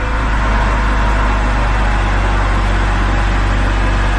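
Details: 2010 BMW X3 after repairs, first start and idle, previously had a rough start and check engine light: low, steady idle rumble with no stumble, knock or whine; the engine sounds smooth and settled.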